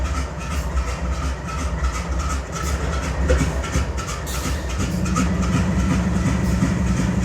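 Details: BNSF 5144 GE Dash-9 C44-9W diesel locomotive idling on a grain train, keeping air up: deep, uneven, stumbling throb from an engine misfire, with excessive smoke.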